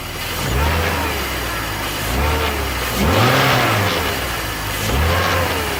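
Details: BMW E46 330Ci M54 after VANOS rebuild (only rubber and teflon piston seal rings replaced), noise worse than before; revs blipped with a metallic rattle rising and falling with rpm, cause unknown.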